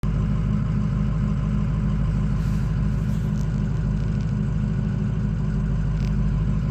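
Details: Ford 6.0 diesel cold idle, warming up: loud, slightly uneven rumble with a lumpy beat; ICP pressure high, 14% reading, also no-start when hot; faulty injection pressure regulator valve, fixed by an OEM IPR.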